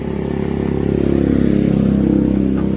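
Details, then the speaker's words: Honda Beat FI scooter that suddenly became noisy: a rapid, regular metallic clatter rides on the idle and rises with the revs. Loud internal knock, cause not yet found. "start. Parang lalabas ng butsi yun. At saka ano, para lalabas na din eh."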